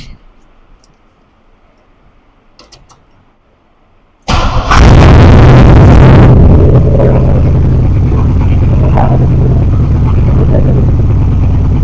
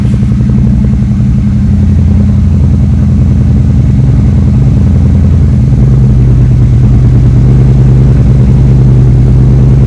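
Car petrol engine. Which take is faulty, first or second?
first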